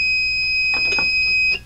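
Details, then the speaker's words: Old UPS with a weak battery, under load and unplugged from mains: steady high-pitched electronic alarm tone holds unbroken, then cuts off as power runs out; UPS on-battery alarm. "I'm gonna silence the alarm. Let me show you what it sounds like first. I've got it's got a weak battery in here right now. I'm gonna put a load on it and plug it in, turn it on. And then I'll unplug it. So that's what happens when you run out of power."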